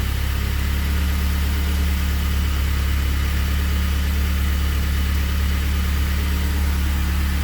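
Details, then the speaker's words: Honda CRX with K24 swap on Haltech, just started after wiring oil and fuel pressure sensors and wideband: steady, even low idle with smooth firing pulse, no knocks, ticks or misses, no warnings; normal idle. "no warnings no nothing everything seems to be happy nice"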